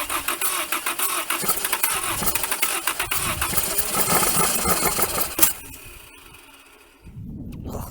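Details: 1980 Dodge Colt Challenger (Mitsubishi Galant), four-cylinder automatic, sitting 20 years: fast cranking at about four beats a second with fuel poured into the carb, a brief stumble as if catching, then dies; no start.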